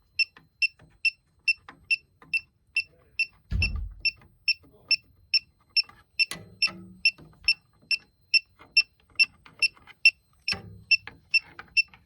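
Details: Elitech WJL-6000 refrigerant leak detector at a known leak site: sharp high beeps repeating steadily about twice a second, with a few handling thumps; owner unsure if leftover soap residue is triggering it. Leak detector alarm.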